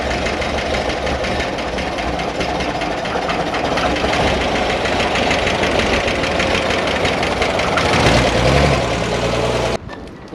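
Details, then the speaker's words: 1965 Corvair 500 engine just reinstalled after sitting almost 30 years, backing out of the shop: quick, even, light ticking over idle; bled-down lifters not yet pumped up, quieted after a 5–6 mile drive. "those lifters pumped up and uh it didn't when I backed it out out of the shop over there it just sounded terrible"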